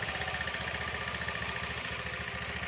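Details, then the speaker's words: Honda Beat scooter, serviced a week earlier (piston, valves): steady idle with light, fast, even tick from the belt drive; cause found as mismatched variator rollers of two different types fitted together. "nah ini Lor motor ini Suaranya berisik ya itik itik itik itik itik itik itik itik begitu ini baru satu minggu di servis ya di bagian piston sentrek lab episode service semua tapi masih timbul suara itik itik itik itik"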